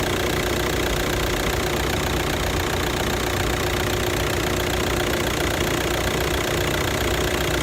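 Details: 2009 VW Touran, 2.0 L diesel, DSG-6, 118,000 km, at idle: steady diesel idle with an uneven, loose knocking rattle underneath; worn dual-mass flywheel knock.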